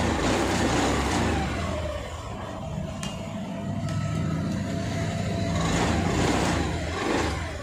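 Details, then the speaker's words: Honda Activa 6G scooter after half engine work, with valves adjusted and rocker refitted correctly to fix self-start problem: starter whirs briefly, engine fires and runs at steady even beat; normal start. "இந்த வண்டில வந்து complaint வந்து கரெக்டா ஆயிருக்கும்."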